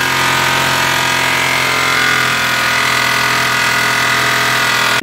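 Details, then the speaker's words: Cold idle: fast, coarse metallic clatter from the top of the engine, oil indicator light gone out; suspected slack timing chain, not confirmed. "Hai indikator oli hilang semua hilang ini suara dari atas"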